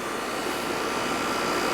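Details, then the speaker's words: AC condenser whose fan was not spinning, just restarted after repair, no thermostat delay: fan kicks in, steady even rush of air with a faint constant tone, no rattles or grinding; condenser running normally. "Fan kicked in. Give it a little minute here, make sure it warms up and does its thing."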